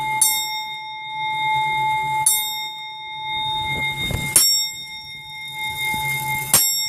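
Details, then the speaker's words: Grandfather (longcase) clock being set up after a move: a faint clunk as the clock selects the strike at the back, then clear, evenly spaced bell blows about every two seconds. The hour strike is normal. "you'll hear a clunking noise on this one it's very very slight what that is is the clock is actually selecting the strike at the back"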